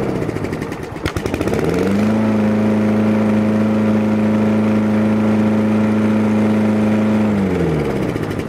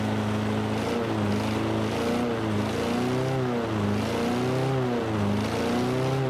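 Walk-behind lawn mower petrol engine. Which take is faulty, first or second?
second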